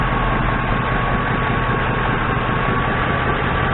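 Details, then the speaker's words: 2002 Ford Crown Victoria V8, 147,000 miles, at operating temperature with a vacuum gauge on the intake: deep, smooth, even idle with no knocks, misses or hunting; vacuum about 20–21 inHg, a healthy engine. "keep in mind this is a well it's about 20.1 or so and this is a 147 o2 so i would say that's a healthy engine 147 000"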